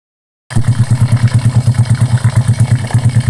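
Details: Honda Karisma after repair for white exhaust smoke and rough piston noise (piston replaced, valve setting): the engine catches and settles into a quick, even thumping idle with a steady beat and no ticking or knocking; healthy.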